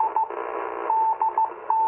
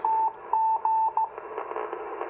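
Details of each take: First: 40-plus-year-old Icom IC-251A 2-metre all-mode rig receiving a beacon via a 21-element Yagi: a keyed tone near 900 Hz over a steady raspy buzz, power line interference picked up by the Yagi. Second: 40-plus-year-old Icom IC-251A 2-meter all-mode receiving a beacon on a 21-element Yagi, after working the scratchy pots. Clean steady tone with short beeps, little hiss and slight power line buzz. Normal receiver audio.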